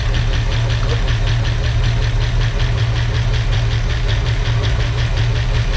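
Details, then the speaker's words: 1965 Mustang V8 at first start, with used lifters that are noisy: loping, uneven idle with quick ticking about three a second. Ignition timing was too far advanced; resetting it to about 8–10° BTDC sounded much better. "better better yeah sounds much better it was too far Advanced I set it about [Music] 10° got a little bit of a hesitation"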